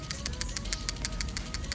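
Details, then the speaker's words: Honda Accord PCV valve removed (17 mm deep socket), new AutoZone valve shaken by hand for oil burning issue: crisp even clicking about six per second, check ball moves freely; old valve makes nothing. Healthy PCV valve rattle. "you hear that click click click click click and here's the other one nothing"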